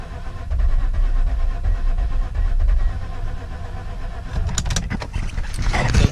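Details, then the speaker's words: Mazda RX8 project that was never started at home: starter cranks with low uneven chuffing and a few sputters but never catches; owner suspects spark plugs fouled, not confirmed. "they're probably fouled out from the gas at home because it was never started but this is what it sounds like"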